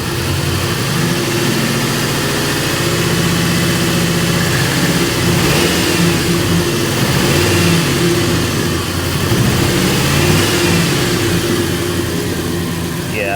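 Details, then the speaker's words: 1998 Ford Crown Victoria P71, run poorly since a pressure wash, injectors suspected. Rough lumpy beat staying uneven as revs rise and fall; cylinders 7, 2 and 6 are dead. Misfire from three dead cylinders persists with throttle. "three cylinders down that's that's really bad like really bad"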